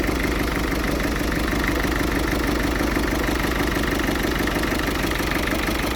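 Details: Ford Fiesta 1.6 TDCi diesel with rough idle: uneven lumpy pulsing about three times a second; still smokes acrid when revved, cause undiagnosed.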